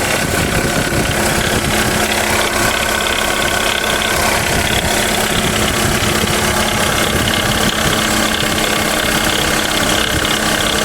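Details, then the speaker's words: Jeep Renegade 1.8 petrol engine idling with a steady rough whir and hiss over the running note, coming from the water pump; the water pump and alternator bearing were replaced. "aí galera se Vocês conseguem perceber barulho vindo da bomba de água"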